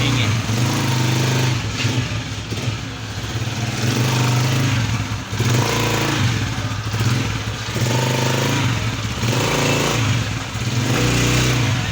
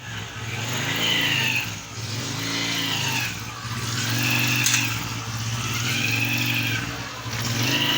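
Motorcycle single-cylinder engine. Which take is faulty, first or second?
second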